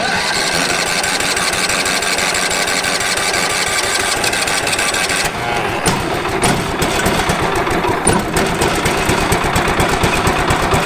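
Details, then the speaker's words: Late-1990s Wood-Mizer LT15 band sawmill engine, sat unused for years, after maintenance, new battery, air filter and fresh fuel: cranks, catches and settles into a quick, steady idle with clean firing, blades not engaged; starts and runs fine. "she's alive all right let's run just a second sounds good oh how about that yes it will crank yes it will start"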